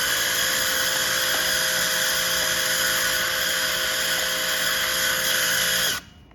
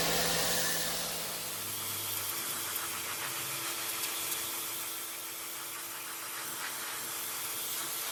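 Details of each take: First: High-pressure washer, previously repaired, with trigger released: steady high hissing whine with faint buzz running on instead of stopping, plus clutch noise; abnormal running, trigger-stop failure, owner suspects damage. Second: New WAP Extreme Turbo 2800 pressure washer spraying to clean a floor: steady, even spray hiss over a constant motor hum with no surging or stumbling, running normally under load.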